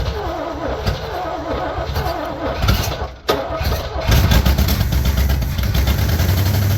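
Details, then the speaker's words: 1968 Pontiac Firebird 400, first start since 1986 after cleaning and gapping the points, fuel in the carb bowl, vacuum leaks taped, starting fluid used: several seconds of uneven cranking, then it catches quickly and holds a deep, steady idle. "First start since 1986. I'm actually impressed on how fast that fired up."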